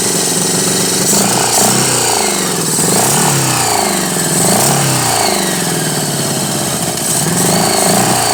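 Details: 1983 Honda Goldwing Aspencade project bike, engine running for the first time after revival, started on full choke; uneven, lumpy idle with wandering, surging beat, running rough and needing real tuning and dialing in, fuel mixture likely off.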